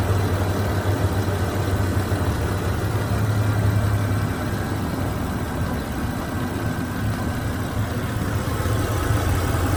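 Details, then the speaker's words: 2003 Toyota Tundra 3.4-litre V6, 2WD, almost 200,000 miles, reportedly bone stock: low, quiet idle with an even, unbroken rumble and no ticking or knocking; exceptionally quiet, healthy engine. "sure you can hear that how quiet that is I honestly think that may be quieter than my 5:7 I mean this thing is just it it just pervs it amazes me how quiet this is with 200,000 miles on it"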